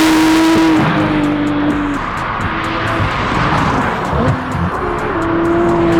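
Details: Porsche 991.2 911 Turbo S with newly installed custom headers and catless titanium exhaust, on a test drive: loud clean exhaust note climbing and falling through the gears, no popping or rattles, over background music. Healthy exhaust note under acceleration.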